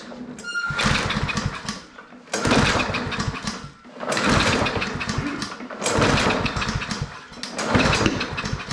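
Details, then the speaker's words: Self-propelled lawn mower (Powersmart 161cc or Craftsman 190cc), spark confirmed: four cranking bursts on the recoil that never catch even with ether; compression, fuel or a gummed plug suspected. "so we got spark and even with ether it doesn't fire so we either have a compression issue or a fuel issue or the plug is so gummed up it's it's not gonna clean up"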